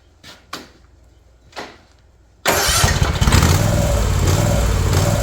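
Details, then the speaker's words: New Ariens Ikon mower with a Kawasaki FR691V, 5 hours old, surging since new, before the carburetor is cleaned: cranking bursts, then it catches with idle speed wavering up and down; surging idle. "guys I got a caught one of these new errands icons and uh it surged since the day I got it I wasn't sure why"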